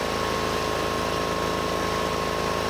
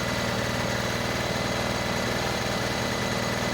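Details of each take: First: Rusty Honda 6500 W electric-start generator just started cold after sitting: steady, fairly high-pitched fast idle with even beat; rpm on the high side when cold, drops after warming up. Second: Rusty Honda 6500 W electric-start generator warmed up: steady even hum, no knocks or surging, settling to a smooth lower idle; rpm came down, normal warm idle, though no electricity produced yet.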